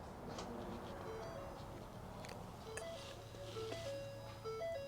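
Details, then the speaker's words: 2013 Ford C-Max Hybrid with a communication fault, after stacking test leads into the network: faint hum with a short run of clear dings at varying pitches. The instrument cluster is chiming again, and the PCM then begins communicating. "you guys hear that in there? Clusters dinging."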